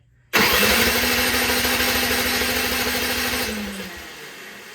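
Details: Unmaintained Honda HS 520 single-stage snowblower, choke out, gas on, key on, oil full; sharp pull spins engine with fast rattle that dies without catching; no start, fuel not reaching carburetor.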